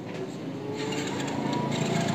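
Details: Hero Splendor iSmart motorcycle that died after about 1 km once hot: the starter whirs and turns the engine over but it never fires. No current reaches the HT coil; a faulty CDI is suspected, not confirmed.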